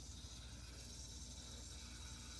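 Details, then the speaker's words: Frigidaire upright freezer that isn't cooling enough, lower cover off at the evaporator coils, which are frosting properly: steady soft hiss with a faint gurgle under a low hum, normal refrigerant flow. "you can hear the refrigerant moving totally normal"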